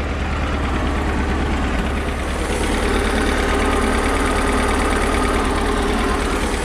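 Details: Mercruiser inboard after starter solenoid replacement, starting first try without pumping: deep, steady burble at idle with an even beat and no misses or knocks; normal idle.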